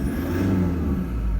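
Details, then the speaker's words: 2015 Toyota Prado 150, 1KD-FTV diesel, about 90,000 km, cold at about 7°C, light load: smooth, even low rumble with no knocking or rattle; quiet and healthy. "these are diesel engines they do make some noise but in my opinion that's very quiet"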